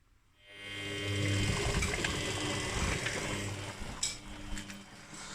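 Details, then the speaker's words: Washing machine belt drive after spraying Hi-Gear HG5505 belt conditioner to cure crunching and squeaking at start-up: drum spins with a smooth low hum, knocking and crunching gone. "Вот и все. Стука больше, хруста больше нет."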